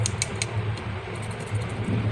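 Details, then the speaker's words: Dawlance fridge whose compressor wouldn't start: shaking the compressor start relay gives sharp loose rattles of broken internals; overload is fine, relay has failed. "तो ये इसका overload और relay, overload इसका ठीक है, relay भी ख़राब हो चुकी है"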